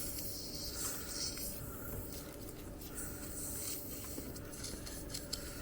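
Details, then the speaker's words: 1992 Ford Fox body Mustang 5.0 with a Vintage Air AC retrofit, system under nitrogen pressure test: a steady high airy hiss escaping at the back of the hose crimp where rubber meets metal. Refrigerant hose crimp leak. "Got a bum hose. What the hell? It's on the back side of the crimp, where the rubber meets the crimp."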